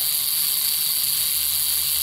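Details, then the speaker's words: Good reference Model T buzz coil on a 6 V input: a steady high fizzing buzz with even point vibration and no dropouts, and occasional spark bursts from up to 300 V at the points. "now and then you'll see a burst of a spark that's because the voltage generated on the top of that coil even though it's six volt input"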